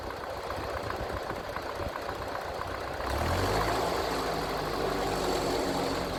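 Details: Massey Ferguson TEA20 tractor after a service with new points, fresh oil and oil filter, engine not yet fully warm. Even, steady idle that picks up slightly midway, no knock; oil pressure rising, sounds healthy.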